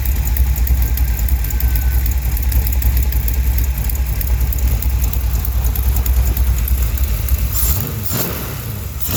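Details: 1971 Chevrolet Cheyenne, factory big-block 454 V8 on Jegs Bandit EFI, first start, cam believed broken in, rear jacked up; heavy idle with fast, uneven ticking puff over the rumble. Header leak at number two cylinder.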